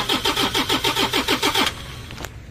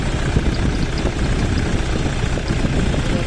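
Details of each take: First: Toyota Innova D4D diesel that won't start after a dog chewed the injector driver wiring, before fitting a new injector driver module: steady starter cranking at about six pulses a second, no catch, then it stops. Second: Toyota Innova D4D diesel after replacing the dog-chewed injector driver module and ECU, previously cranking without starting, revved without gear: holds a steady even clatter at idle with no misses, hunting or knocks; idling normally.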